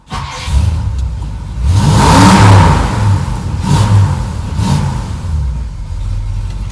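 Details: V8 (apparently a Ford Thunderbird) after an exhaust leak repair at the flex pipe: revving and settling is much better, but a faint puffing remains. The flex pipe joint still leaks slightly.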